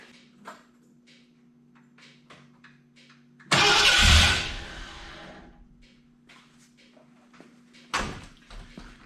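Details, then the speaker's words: 1986 Ford F250 351 Windsor, no-spark: light ticking then one loud rough burst as the engine pops alive briefly and dies, after nudging the pickup coil closer to the gear; spark returning. "Okay, you just heard it kind of pop alive just a little bit."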